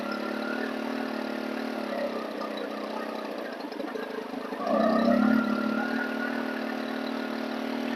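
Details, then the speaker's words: Stihl FS 110 four-mix trimmer engine with an air leak: idle wanders and surges, slow to return to idle, swinging wildly between extremes as the low-speed mixture needle is leaned then richened. "the engine is all over the place i'm gonna richen it just a little"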